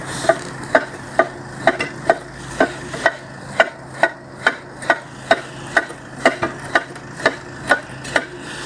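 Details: This one's own axle turned by hand after removal, owner swapping in the axle taken off the 62: sharp metallic clunks about twice a second, worn differential gears with excessive play; owner says the metal inside is well worn.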